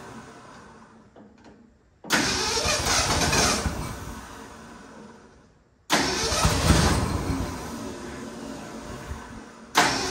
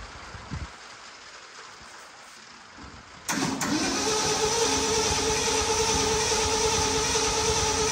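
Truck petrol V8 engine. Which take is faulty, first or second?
second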